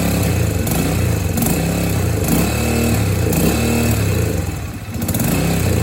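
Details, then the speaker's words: Yamaha TT-R125 that smokes badly and leaks fuel from the carburetor, start by kick: single-cylinder runs lumpy and uneven, about four pulses a second with stumbles, holding only on choke, won't idle cleanly; rough running, cause unconfirmed. "Doesn't like to idle though, it runs on choke."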